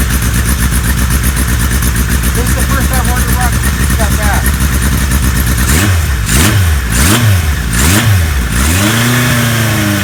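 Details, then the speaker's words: 1978 Kawasaki KZ1000A four-cylinder, stone cold at low 50s °F, on choke: catches and idles fast and even, with a few clean throttle blips; normal cold start. "gas is on motor is perfectly cold so it's like 50 some degrees outside right now low 50s so we've got to choke choke is up it's on bikes perfectly cold"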